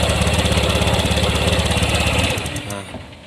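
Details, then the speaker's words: Honda Vario 150 that had sat dead for 3 days and often stalls, test-fired with a borrowed Mio J spark plug cap: fast, choppy idle wavers, sags and dies; idle air screw possibly set too small; throttle body service planned. "kemungkinan air skrunya terlalu kecil nah starter lagi"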